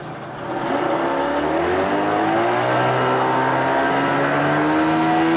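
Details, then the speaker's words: 1988 Mercury 25hp two-stroke tiller outboard, 20in shaft, electric start, freshwater, new lower unit lube, in test tank pumping water: catches and settles into a steady, even burble with smooth pitch; good-running, normal idle. "This is a good running freshwater engine."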